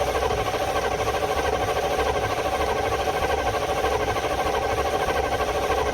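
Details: Field-find truck, unstarted for about 3–4 years, on its first start attempt: steady, even starter churn at cranking speed with no firing, a dry crank; good oil pressure shown afterward.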